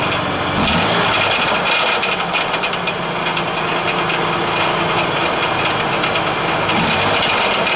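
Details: Ford Taurus, rattle at startup/idle: loose, uneven metallic chatter over steady idle; owner suspects exhaust since it isn't heard from the engine compartment. Source unconfirmed.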